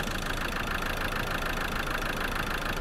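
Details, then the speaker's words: Ford 2.2 TDCi diesel in Land Rover Defender 110, replacement engine running rough with heavy grey oily smoke: steady idle with sharp regular knock about three beats a second; internal failure suspected, unlikely just an injector. "be very surprised to find it is just an injector so I don't think it would be knocking if it was bucketing enough fuel in and it was trying to burn it"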